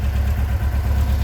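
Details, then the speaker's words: 1957 VW Oval ragtop flat-four on Weber carbs, after fixing a leak and the idle issue: a low, even thrum with a steady pulse and no hunting or stumbling. Smooth, healthy idle. "So we corrected the leak, we corrected the issue, the idle issue,"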